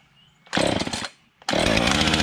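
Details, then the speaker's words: Junk-pile Husqvarna 445 XTorq chainsaw, reassembled from pieces with glued leaking fuel tank, coil found good (drill spun it too slowly): cold start by pull cord, sharp rasp, brief stall, refires and settles to steady buzzing run; normal cold start. "Apparently when I put the drill on it, it didn't spin the engine fast enough, and once I put the pull cord on it, she sparked, and she fires and runs."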